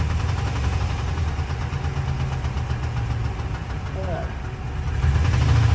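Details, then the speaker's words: Engine knock on a cheap Mercedes at idle: steady knocking, three to four a second, over a deep idle. Mechanic suspects bottom end, possibly a loose connecting rod bearing, but says it may be lifters; the noise goes away under load. "So, it could potentially be bottom end noise, a loose connecting rod. bearing a lot of play, but I don't like to maybe and think I'm going to go in and dig down a little deeper and see exactly what it is."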